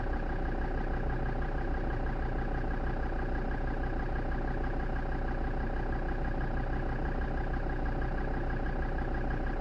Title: defender td5 rough idle